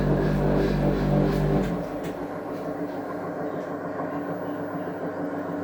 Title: The sound of broken bearings on samsung washing machine #lg #samsung #homeappliances #bosch #von.